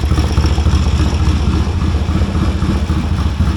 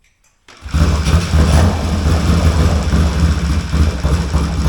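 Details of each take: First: 1970 Triumph T100C twin, idling and in first gear with a loud, raw, rapid popping unmuffled exhaust note like a straight-through pipe; oil drip underneath. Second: 1970 Triumph T100C on first start: fires first try, steady even low thump, no knocks or rattles, oil pressure light goes out, straight-through pipe; healthy normal idle.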